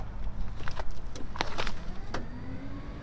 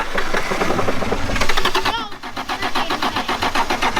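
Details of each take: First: 1996 Toyota Tacoma 3.4 crank/no-start after lying on its side: with the circuit opening relay jumped, a thin, steady high-pitched fuel pump whine comes in under clicks and handling noise. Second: 1996 Toyota Tacoma 3.4L after lying on its side: even starter cranking with ragged smoky exhaust puffs, never catching; owner suspects the timing belt skipped teeth; no dash lights either.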